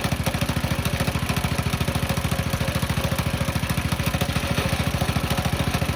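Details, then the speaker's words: Coleman B200R mini bike with the clutch cover removed: fast, even single-cylinder idle with a faint gritty grinding traced to the clutch, which likely needs replacing; a torque converter is planned. "know if you guys could hear that or not, but I'm still definitely hearing a grinding coming from, is that hot now? From this clutch."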